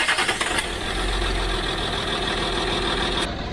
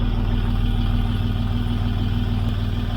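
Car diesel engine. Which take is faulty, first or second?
first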